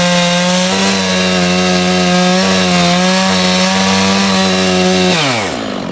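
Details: Stihl MS660 chainsaw after clutch repair, cutting an ash log, chain fairly sharp: strong, steady high buzz holding pitch while biting into the wood, then winding down cleanly; normal running under load.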